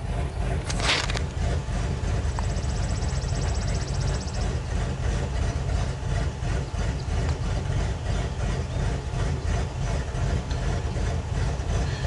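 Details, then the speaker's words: 1999 Ford F250 XLT Super Duty, 5.4L Triton V8 farm truck: low, lumpy, stumbling idle that shakes the truck because a cylinder isn't firing. Rough surging idle and hard starting in cool damp weather, with no trouble codes stored. "okay I mean the whole truck's going sideways so obviously something's not firing please wait"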